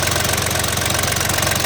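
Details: Yanmar FX18D mini tractor diesel, Japanese auction import, 956 hours: fast, even clatter at a steady idle, no misses or uneven knocks. Runs evenly, normal idle.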